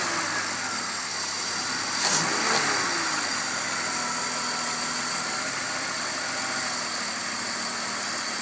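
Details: BMW M54 petrol engine idling, then given a quick hard rev, bringing a brief rattling 'thok' knock from the front under the rocker cover near the VANOS and timing chain; only under acceleration, not at steady idle, cause unknown.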